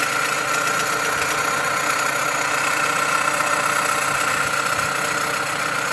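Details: Dodge Avenger/Journey/Chrysler 200 at idle: a steady, high whine over a light, uneven rattle. Vibration is felt at the alternator but not at the A/C compressor, so the noise comes from the alternator.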